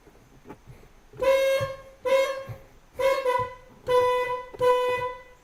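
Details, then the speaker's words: 1999 Mercedes ML320 old horn, after its contacts were cleaned with sandpaper and WD-40. Five short honks, each a thin, reedy tone lacking punch and volume; still not great, so the old horn itself is suspected. Weak car horn. "See, still not great. So my next move is going to be to take the contacts back off."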